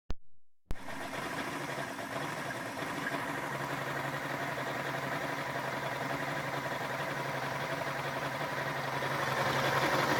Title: Rough idle